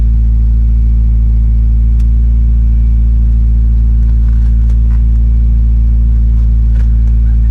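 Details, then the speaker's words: 1994 Mazda Miata MX-5 that had not been started for a while, first start after a new U1RT battery was installed: smooth, steady low idle with no misses, knocks or rattles, running healthy. "Oh, it's alive. All right, that's good. It started. So it hasn't been started for a while. I'm gonna let it idle a little bit."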